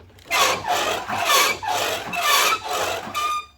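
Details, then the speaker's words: Motorcycle front forks pumped: harsh dry rasping each stroke, about once a second; forks run without oil long enough that the bushings are worn out and were siliconed, and need replacement. "determined we are not going to be build these forks and we're going to let him know he needs a set they have been without oil long enough the bushings are out of them someone siliconed them they are just toast"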